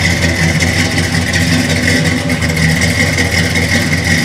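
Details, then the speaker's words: 1969 Chevelle Malibu with 350 crate V8, 350 Turbo transmission, Vintage Air: loud steady lope with even burble, no knocks or misses, revving cleanly and settling back; normal idle and rev. "Hello, we're going to fire up the engine in our 1969 Malibu here that we have. I'll go ahead and start it up so you guys can hear it, see how good it runs."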